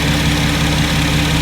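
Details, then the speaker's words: 2016+ Chevrolet Camaro V6 LGX engine idling during a serpentine belt replacement, after pulley bearings were checked: smooth steady hum with no squeal, chirp or ticking; engine sounds healthy. "no squeaking nothing sounds weird engine sounds healthy I don't hear any issues"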